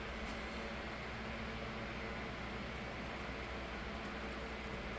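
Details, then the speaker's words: 2007 Holmes 12-inch desk fan HDF-1209, cleaned and serviced, on low speed: steady even whoosh of air with low motor hum, no rattle or ticking; already fairly loud for low; normal running. "as you can hear the low speed is not very quiet it's already loud compared to the alasco 2000 from 96"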